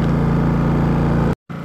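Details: Champion 4500 dual-fuel inverter generator on propane, eco mode off, about 2.6 hours into break-in, 122 V 60 Hz: steady even drone with smooth regular low pulse, no knocks or surging; normal running.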